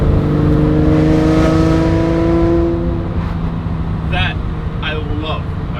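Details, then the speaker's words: Lamborghini revved and held around 3,000 rpm gives a steady raspy, metallic exhaust drone that falls smoothly as the throttle eases. A suspected cracked exhaust-tip weld rattles separately near 1,800–2,000 rpm. Normal exhaust note on rev. "So at 3,000 RPMs, you guys already know the car makes this raspy noise, which I absolutely love."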